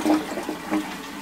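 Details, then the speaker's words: Post-1945 STOM Cardiff 146 syphonic cistern fitted with a replacement bell that clears the cistern bottom: brief clean rush of water with even gurgles, no knocking; flushes better than before, normal flush. "flushes better as well so looks like this is the one to go with"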